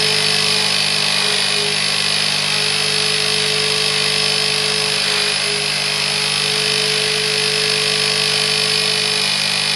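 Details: Wet-extraction cleaning machine during interior detailing of a 2006 Vauxhall Corsa C 1.0: loud steady high-pitched suction roar with a fixed tone on top; the motor pitch has changed because the recovery tank is full of dirty water and needs emptying.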